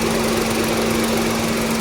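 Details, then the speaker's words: VW Polo that stalled after 10 km with low pickup, title citing P0301 cylinder 1 misfire; after rescan shows no faults: steady, even, quiet idle with no misses, knocks or ticks. "Engine भी silent है पूरा। कुछ problem नहीं है।"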